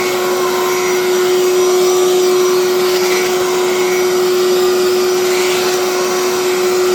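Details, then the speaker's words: Electrolux 2100 canister vacuum, power nozzle running on the hose: steady, even motor hum with a constant mid-pitched tone and no rattles or surging; power nozzle runs normally, though the main vacuum motor sounds poor. "Now this power nozzle seems to be in good shape and seems to sound good."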